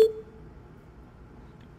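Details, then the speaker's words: Tesla dashcam save confirmation: a single short, clean chirp, then near silence. It plays when the dashcam icon is tapped, or after honking if horn-triggered recording is enabled. "이 소리 는 블랙 박스 아이콘 을 탭 하여 녹화 를 저장 할 때 들리는 소리 입니다 ."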